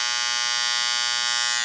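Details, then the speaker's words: Andis Styliner 2 trimmer, power adjustment screw on left side turned left while running: loud high buzz with harsh chattering edge until cut off; screw turned too far, blade rattles; back right until quiet for maximum power. "So you can turn it to the left. Okay. Here it starts to"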